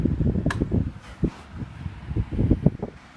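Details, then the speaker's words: 1980s Galaxy Model 2150 oscillating table fan, missing cage clips, on high with oscillator on: low airy rumble, soft irregular gusts, odd light tick as head sweeps; healthy normal running. "But we'll go ahead and we'll start it up on high. We'll turn on the oscillator."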